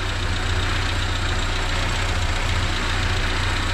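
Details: Renault 5 with C1J turbo engine, EFI conversion with MaxxECU Mini, base timing set: deep steady idle, fairly even beat, slightly raspy popping exhaust, suspected hole in exhaust from earlier backfire; engine runs properly, normal idle.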